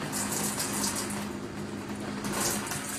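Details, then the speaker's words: Boiler tank not reaching temperature while the water meter kept spinning: constant hiss of hot water rushing through the shower, whose handle no longer shuts off; failed shower valve causing a hot water leak. "We got the hot water running. Shower handle not shutting off anymore."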